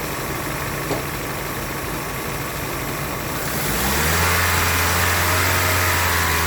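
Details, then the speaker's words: 2010 Honda Civic with low power, on a back-pressure gauge. Idling at 800 rpm, the gauge jumps toward the bad range, then the engine steps up into a strained, muffled rev that sounds choked and holds flat. The broken-up, clogged converter restricts the exhaust, and the pressure held high enough that the gauge may have broken. "But yeah, this converter is definitely bad. I'm gonna rev it up and see what it do."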